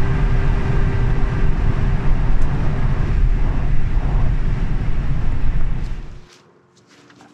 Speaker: basically uh we've got a wine off the rear drive motor um and it's a horrific noise it's on the overrun or say on the overrun it's when you let off